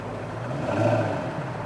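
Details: 2004 Jaguar S-Type V8 after replacing all eight spark plugs and coil packs for a skip and shake from a cylinder 5 miss: short throttle blip, revs rise and fall smoothly and evenly, no skip, stumble or shake.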